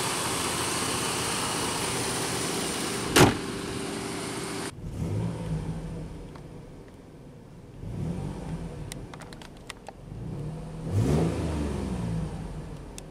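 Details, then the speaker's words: Third-generation Jeep Grand Cherokee, 146,000 miles: smooth, even, quiet engine note settling, no knocks or ticks; runs very well, possibly minor leakage from older exhaust components. Normal running. "with 146,000 miles this one runs extremely well it's actually really quiet"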